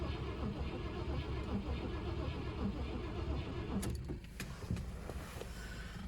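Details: 1980 Cadillac Seville, digitally fuel-injected 6.0 L 368 V8, free car, battery boosted: starter turns engine over in slow, even sweeps for several seconds but never catches; crank no-start, fuel gauge shows empty, little or no fuel in tank suspected.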